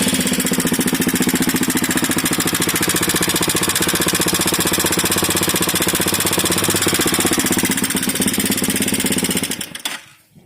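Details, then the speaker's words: Minsk X250 motorcycle whose engine started knocking on its last ride and could not return under its own power: a fast, fairly regular knock of about four per second over the engine note; owner suspects the valves, not confirmed. "Всем привет последняя поездка минчика оказалась не очень успешно своим ходом не смог вернуться у него Застучал мотор По всей видимости это клапана"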